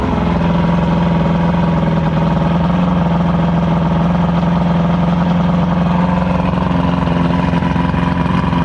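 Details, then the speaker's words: Evinrude V4 crossflow outboard, warm, with a low, even burble and no missing strokes; smooth idle after worn throttle cam follower roller replaced and link-and-sync done, timing about 6° BTDC; no exhaust back pressure during the test. "Yeah, it sounds way better right now. You can hear how smooth it is now. It's not choppy at all."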